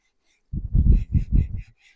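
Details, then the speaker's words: Classic Mini flywheel and clutch being lapped onto crankshaft taper with valve grinding paste: low, dull rubbing strokes turning quieter and smoother, no gritty rasp, as the taper in good condition beds in. "Doesn't take much if your crankshaft taper is in good condition. Shouldn't have to resort to coarse lapping paste for this unless there's any damage on the taper that you're trying to lessen. And you can hear that's gone quieter."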